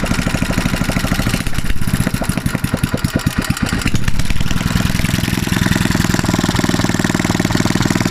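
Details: Mitsubishi 6.0 HP engine after fitting a new BPR5ES spark plug: catches and settles into a quick, even putter around three hundred beats a minute, smooth and steady; running properly.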